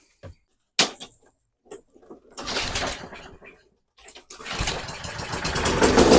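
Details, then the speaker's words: Toro 22-inch Recycler mower, Kohler 149cc 6.75hp, old fuel, dirty air filter removed, before carb cleaning: after cranking bursts it starts and revs climb unchecked; overspeed, suspected sticking governor linkage or throttle butterfly. "It does start. and it actually stayed running. You can hear the RPM's running away. So, that tells me that probably what's happening is the governor linkage is getting hung up."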